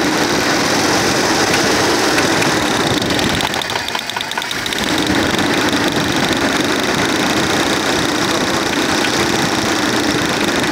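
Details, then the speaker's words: 1996 Audi A4 2.6 V6 petrol: knock almost inaudible at low revs but heard at 2000 rpm; steady idle with a rough knocking tap that dips as one cylinder drops out while plug wires are pulled one by one to find the cylinder. Source not yet confirmed. "при малых оборотах стука практически не слышно набираем обороты 2000 оборотов ток слышим"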